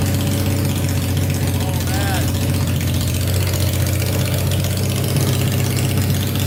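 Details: Tractor swapped with a 500cc Honda engine, first start on fresh gas after a carb clean and wiring fixes, spark on all 4 plugs, no coolant yet: loud, deep, even idle with a steady low throb and no misses, knocks or hunting.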